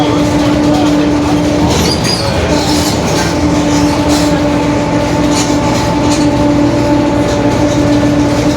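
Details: 2021 Marcopolo Torino S urban bus on Mercedes-Benz OF-1721 BlueTec 5 diesel chassis, extended length, recorded while driving: steady low hum with fainter higher tones under road and engine noise, a worn differential growling.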